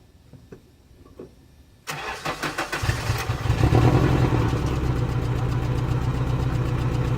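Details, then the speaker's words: Nissan S14 240SX with stock muffler and resonator delete, starts and settles into a steady even idle with loud raspy exhaust drone and no knocks; the motor is healthy, the exhaust just sounds bad. "so yeah that's how it sounds nothing crazy it's literally the stock exhaust with the resonator delete"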